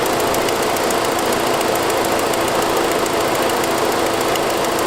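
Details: 2006 Saab 9-5 at idle: fast, even, sharp puffing ticking that sounds lifter-like. It is an exhaust leak from a broken forwardmost exhaust manifold stud, which followed an earlier noisier turbo sound.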